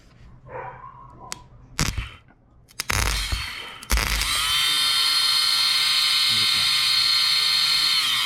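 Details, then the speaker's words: Yamaha YFZ450 electric-start ATV whose starter button stops working after one start: starter motor tested, spins up to a clean, steady high whine without grinding or stutter; starter is good, fault lies elsewhere. "So that is a starter. I mean the starter works. So our starter's good. So that means something else is bad cuz our starter works. It spins perfectly fine."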